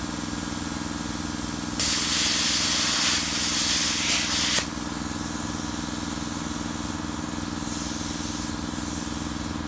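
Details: Redbo ExpertCut 60 plasma cutter tested at the customer's site after the failed input diode bridge was replaced: steady electrical hum, then about three seconds of loud rushing arc-cutting hiss; it cuts normally.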